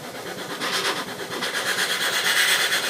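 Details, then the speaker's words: Duo-Art rotary vacuum pump (spider) running under load against a vacuum gauge, even rhythmic airy hiss pulsing about three times a second; healthy normal running. "And that way you'll be able to hear what the spider sounds like under load."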